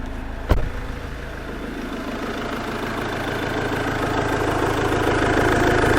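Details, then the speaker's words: 2017 Iveco Daily Gen 3 2.3 diesel after engine removal, crankshaft tone ring repair and clutch refit; steady even diesel idle, no knocks or bangs, nothing dripping, sounds good. "Well, that sounds good. Don't hear any knocks, don't hear any bangs."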